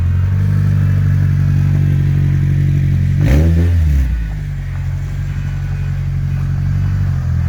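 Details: Stripped 2004 Honda CR-V, first start with the exhaust removed: deep, loud open rumble at idle, one sharp blip of revs then settling back, the raw bark of an engine with no exhaust.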